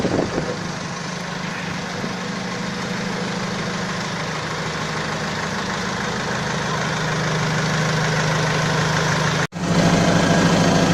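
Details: Balkancar forklift (loader) diesel after repair (engine, clutch, brakes and running gear overhauled), with glow-plug preheat button: steady, even idle with smooth low thrum of about 200 pulses a minute, no knocks; healthy engine.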